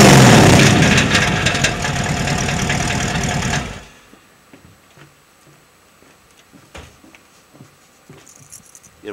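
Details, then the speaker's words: 418ci 351W-based stroker with 527hp and DynoMax VT valved mufflers on 2.5" duals with no X- or H-pipe, revved hard: a raspy, booming, very loud exhaust. The muffler valves clack at idle from scavenging, but it sounds fine above about 1500 rpm. "I'll step on it a few times so you can hear what they sound like when there's some RPMs 500 plus horse pushing you sound great"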